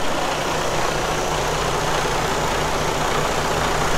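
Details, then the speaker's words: Diesel truck idling after fuel system priming with a homemade priming pump, so injectors are not starved of fuel: steady, even diesel clatter with deep low rumble, no misses or stumbles; clean normal idle. "all right perfect you see the priming helped a lot so it helped out a lot with that priming pump we didn't have to actually manually prime it no more and we were able to not starve the engine or the injectors from"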